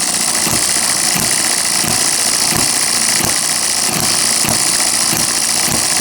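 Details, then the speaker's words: Miniature hit-and-miss engine after piston ring rebuild, governor apparently working, mixture thought way too rich; sharp regular firing pops about every two-thirds of a second over a hissy background; normal running on governor. "so we'll see if it'll run this tank of fuel out here I like hold on to it you see that Governor may be working there a little bit"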